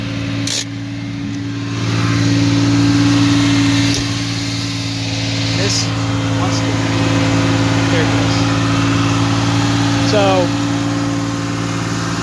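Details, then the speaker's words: 1978 Porsche 911 SC: steady drone idling too high, possibly related to the mixture (cause not found); after sitting it blows light smoke for about a minute at startup, then clears. "yeah, that's pretty annoying. It idles high, and when you start it up after it sits, it'll blow some light smoke for, I don't know, a minute or so, and then it goes away."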